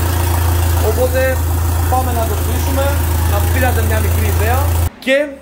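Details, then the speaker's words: Alfa Romeo MiTo 1.4 T-Jet, freshly built with forged internals, Boubis cams, Abarth hybrid turbo, no downpipe fitted, noise straight from the turbo: loud steady low rumble at even idle, no misses or knocks; runs fine. "Αλλά εντάξει, θα ακούσετε λίγο πολύ θόρυβο γιατί δεν έχει downpipe και θα σας πάρει λίγο τα αυτιά."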